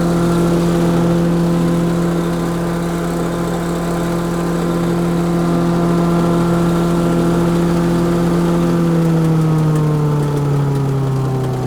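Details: DR Chipper CP55047BMN with replacement Honda GX390 13HP single-cylinder engine, after water-damage seizure: steady even drone dropping smoothly in pitch as throttle comes back to idle, keeps idling, sounds good; normal running.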